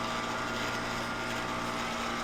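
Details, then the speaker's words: Aerosys condensing unit for a server room Multiaqua air handler: steady, even whir over a constant hum, no rattles, knocks or squeal; running normally. "okay this one is obviously working I hear it"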